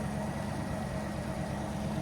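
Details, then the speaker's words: Drift car with four fuel pumps, first start-up after engine bay work, oil pressure good: steady idle with a faint irregular stumble, beats dropping out unevenly; misfire, later traced to loose spark plugs. "it's a bit of a miss going on here [Music] seems like a bit of a mess yeah definitely got a misfire"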